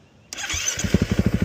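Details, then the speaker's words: 2013 KTM 350 EXC-F after freshen-up (bled clutch, oiled air filter, fresh fuel and oil, aftermarket timing chain tensioner, SXF muffler), started on temporary electric start setup after fuel pump prime: brief whirr, catches at once, quick even single-cylinder firing, no knocks; normal start. "Starts up. In my opinion, sounds pretty good. Doesn't have any odd knocks or anything."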